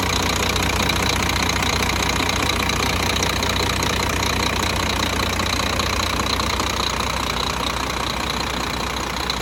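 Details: Scania truck, newly installed replacement diesel after thawing from frost (original DC13 had strange noises and oil pressure light): steady even idle with light regular clatter near 150 beats a minute, no odd knocks; healthy.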